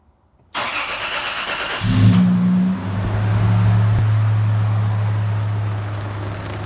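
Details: 1996-2002 Toyota 4Runner on startup: high steady squeal right after start, holding over idle; owner suspects the alternator/accessory belt, not confirmed.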